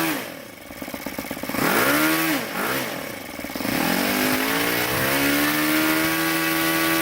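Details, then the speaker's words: YS FZ63S supercharged glow model engine after rebuild with replaced leaking throttle barrel seal, APC 12x8 prop, OS F plug, Omega 15% fuel (10,000 high / 2,220 low RPM); blips then steady clean high run, no misfire; healthy. "She's running sweet, and you do want to tune these so they're about 500 RPM below peak, and run them there, because they won't be too lean at that point."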